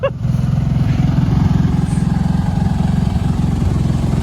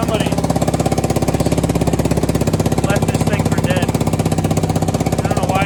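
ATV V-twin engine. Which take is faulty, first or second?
second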